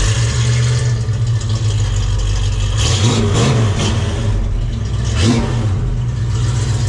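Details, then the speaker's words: 1968 Mustang 302 V8 on a road test with new JBA tri-Y headers, X-pipe and dual exhaust: deep, even rumble under load, with the previous backfiring and popping gone and quieter than before; normal exhaust note. "Well, the backfiring and the pop is essentially gone. So that was goal number one. I mean, it sounds good, guys. It's fine. It's just not crazy loud and obnoxious"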